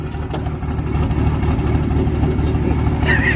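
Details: Diesel hotshot pickup at idle: a deep, uneven, rolling lope about twice a second instead of a smooth beat; rough idle, cause not pinned down. Oil is leaking down the truck, and a valve cover gasket is being ordered.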